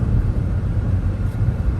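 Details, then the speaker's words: 2006 Dodge Charger Hemi after machine-shop valve seat repair, engine taken apart several times: deep, steady V8 rumble while driving, smooth with no misses, knocks or ticks; normal running. "runs great we only had to take the engine apart five six times yeah"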